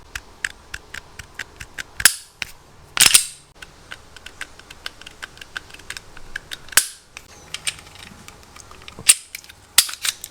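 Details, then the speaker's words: Shadow Systems CR920 trigger pulled with the slide held, before cleaning: dry ticks and scratchy clicks through each pull, then sharp breaks. It became gritty between roughly rounds 250 and 350. "There's still a griminess in this travel from the wall to the brake."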